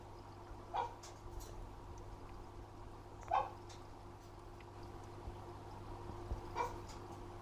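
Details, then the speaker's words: Fluval FX6 aquarium canister filter right after cleaning: only a faint, even low hum, barely audible, with dogs whimpering nearby. Normal quiet running; it hums loudly every 3-4 months until washed. "следующая будет часть где фильтр уже помытый и он еле-еле слышен вот здесь уже Фильтр помыткин было слышно как он еле-еле слышно"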